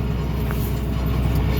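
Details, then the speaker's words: Ferguson tractor pulling a heavy 12-metre set of rolls over dry seedbed ground: steady low rumble with dense continuous rattle from the rolls; normal operation. "So the rattling in the background is the rolls."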